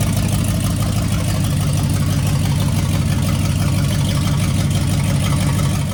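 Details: C65 dump truck, first start in 10 years with a different V8 engine and transmission, new Holley carburettor and Holley electric fuel pump: deep steady rumble at constant speed, no misses or knocks; normal running.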